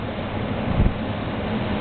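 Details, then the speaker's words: Xpelair WX12 extractor fan with original 1974 FR12 controller, half speed on intake after stopping before reversing: smooth low whoosh of air with a soft steady hum, no rubbing or rattle; normal fan running. "And I'll start again on half speed, and this is intake. Might be able to feel the wind noise."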